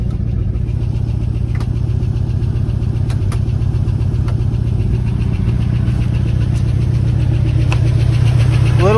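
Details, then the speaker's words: 1979 Ford F-150 that sat since 1999, revived and idling, low on coolant. A steady low V8 rumble with a light fast lifter tick, which the owner expects to go away as it runs. "bit of a lift to tick but nothing nothing bad I think that will go away the more it runs"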